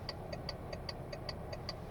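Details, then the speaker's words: VW Touareg 7L 2.5 TDI R5 idling with rapid, even indicator relay clicks about five a second: hyperflash after fitting LED indicator bulbs, the car reading a missing bulb; fixed with a resistor. "see when the car is on it flashes up already even on the hazards and you hear the clicking noise so the relay is going twice as fast because it thinks that there's no bulb"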